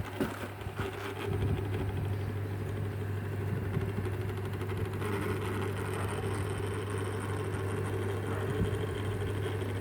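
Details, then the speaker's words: Hitachi wall fan hums loudly with a rough buzz. The noise comes from the swing (oscillation) motor and goes nearly silent when swing is switched off by remote. The fix would be replacing the swing motor or the lower drive gear, but it was left unreplaced. "อันว่าเป็นที่มอเตอร์สวิงมันดังก็คงจะต้องเปลี่ยนมอเตอร์สวิงตัวนี้ตัวนี้ตัวนี้นี้ตัวนี้หรือไม่ก็เป็นคิ้วเปืองขับตัวล่าง"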